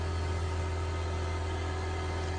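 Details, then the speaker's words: Honda A/C system after nitrogen sweep, vacuum pump pulling on low side only: steady low even drone of constant pitch, tone changes as vacuum pulls down normally. "And there you go. Pull in the vacuum. You can hear the difference in the tone in the vacuum pump."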